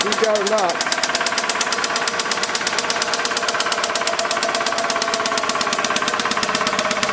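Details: 2006 Toyota Camry 2.4L: steady idle with a loud, regular knock about three per second; deep internal knock, likely bottom end, engine run only briefly to avoid lockup before replacement.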